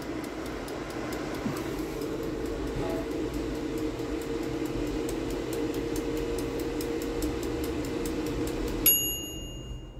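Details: Bela Cuccina electric air fryer that turned on but blew no air, after repair reconnecting wires with crimp terminals: even steady whir with faint quick ticking for nine seconds, then stops with a beep; fan now works.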